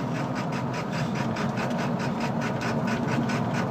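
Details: 1999 Ford F250 Super Duty 7.3L diesel, 155k miles, Superchips and Banks Six-Gun tuner, aftermarket turbo, intake, Banks exhaust; uneven lumpy chug as truck coasts below 40 mph, rough idle; previous owner blames burnt valve cover gasket wiring harness, unconfirmed.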